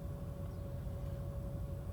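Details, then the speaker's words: Engine just started cold: even, slightly raised idle rumble with a faint steady tone, no misses or knocks; the idle air control valve raises rpm because the ECU knows the engine is cold, dropping once at operating temperature; normal cold fast idle. "so you see the rpm is high so that actually is the yak valve activated so until now it's still high because ecu knows that the engine is still cold"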